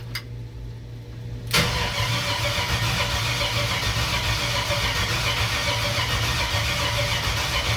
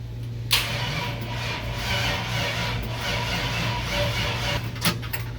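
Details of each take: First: Chevrolet C-10 rat rod with a 5.3 LS V8, first start after sitting about a year, cranked after adding a missing engine ground on a low battery: strong, even cranking at about four compression pulses a second, normal cranking. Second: 5.3 LS V8 in C-10 rat rod, first crank after a year sitting, weak battery: sluggish dragging crank with low hum and no firing because the engine had no ground strap; adding one made it crank much better.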